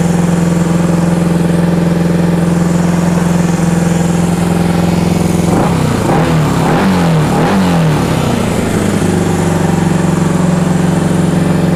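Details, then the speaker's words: 1974 Honda CB360 twin at a raised idle while ignition timing is adjusted with a light; number one reads a little late. Moving the points plate makes it run rough until the other side is set. Lumpy beat stumbles, then settles: timing mis-set. "There we go. I'm moving the plate. It's going to make it sound bad till I get the other side adjusted also."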